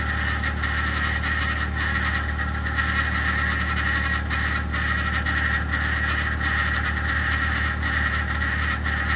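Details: 2021 Ford F150 PowerBoost remote cold start at -16°C: constant high-pitched whirring grind over steady cold idle, unchanging, like a fan rubbing its housing; occurs only below about -11°C, quiets after ~10 minutes warm-up; cause unknown.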